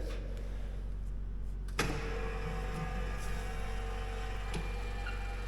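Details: Cheap industrial floor scrubber, scrub-head linear actuator after repair: steady motor whir starts abruptly, even pitch as head lowers, no grinding or catching; earlier mid-stroke strain gone, no codes.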